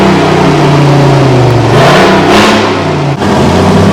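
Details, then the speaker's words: Detroit 6V53 two-stroke diesel with no muffler in a Kenworth/RFW 6x6 off-road garbage truck, idle for at least four years: a loud open-exhaust roar that swells and settles with revs, no knocks or misses; running strong. "It's got no muffler, so all the Detroit fans will probably enjoy the sound of this. Righto, here goes, we're going to start her up."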